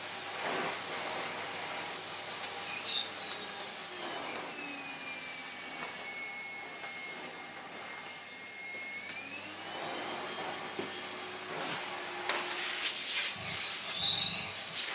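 A high, steady motor whine with airy rush throughout, no rattles or grinding; this vacuum motor is running normally.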